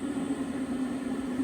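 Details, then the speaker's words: Eberspacher Airtronic diesel heater after cleaning a blocked air intake port and fitting a new gauze filter (previously wouldn't start): even fan whir with steady low hum, set to 23°, running normally and putting out heat. "Okay, as you can hear, that is working now and pushing out a bit of heat."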